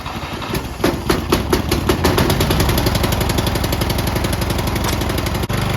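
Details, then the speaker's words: Craftsman riding mower with Briggs & Stratton 14 hp engine, after starter replacement cured high amp draw: steady cranking about four beats a second, chugging without catching; cylinder floods when key left on, plug must be cleaned each start. "Alright, the starter managed to fix our issue of a high amp draw killing its battery all the time, leading to slow and hard starting, except for the normal hard starting of it flooding all the time and me having to remove the spark plug, clean it, and put it back in every single time I start it"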